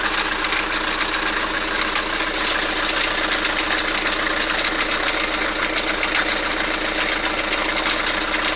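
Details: Toyota Carina engine at idle: light metallic tapping about once a second from the sump area over a busy idle, cause unclear; engine knock.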